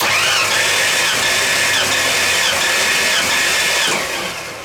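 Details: Rebuilt 302 in a 1985 Ford F-150 cranking for a compression test, cylinders reading about 119–121 psi (cylinder five 121): steady, even cranking beat with no lazy strokes; healthy compression.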